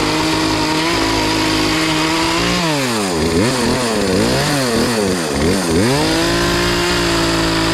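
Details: Poulan Pro PP4218A 42cc two-stroke chainsaw after chain replacement, warming up after choke start: steady idle, then quick throttle blips that rise and fall cleanly and settle back to an even idle; runs healthy.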